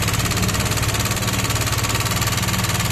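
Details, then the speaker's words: Yamaha NMAX that ran low on engine oil idles with a harsh, loud clatter of about three and a half beats a second and lacks power on throttle; the intake rocker arm bearing has failed and the camshaft is worn. "Oke teman-teman kita akan coba hidupkan dulu suaranya seperti ini ya teman-teman Kasar banget"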